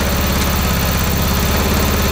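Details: 1982 Honda CB750 DOHC engine in a cross kart, after a carburetor rebuild: a low, even putter holding a steady idle with no stumbling, though smoking; it now idles on its own and runs fine.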